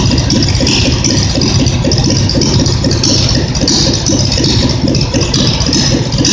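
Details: Simplicity tractor twin-cylinder engine, reassembled after earlier popping and misfiring when revved: a loud, steady, even beat with no misses or popping and a slight tinny rattle. It now runs properly; the owner guesses deposits in a cylinder burned out.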